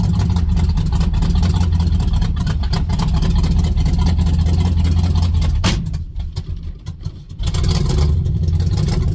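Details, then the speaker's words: 1967 Chevelle V8, $75 engine with 5 years and 15,000 miles, no choke, kept running: loud, lumpy idle with uneven beat and a brief stumble; owner suspects a burnt valve causing the misfire. "When it does it, well, I mean, it sounds exactly like a valve. It's you'd have to hear one to know what I'm talking about. But being around metros all my life, you kind of get used to what a burnt valve sounds like, and that's kind of what it sounds like."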